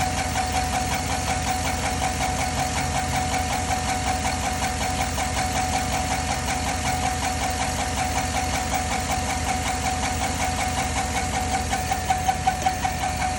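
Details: 2010 Chevy at idle with steady, quick, even ticking at about two to three per second over the engine hum. The owner asks whether it is the lifters; cause unconfirmed.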